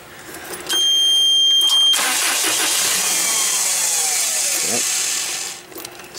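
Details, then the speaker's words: Toyota 7FGC30 propane forklift: cranks, catches, runs rough a few seconds and stalls; hard start and rough idle running rich with propane smell in exhaust. "simple on this is it's kind of hard starting and even if it does start it's kind of like rough idle"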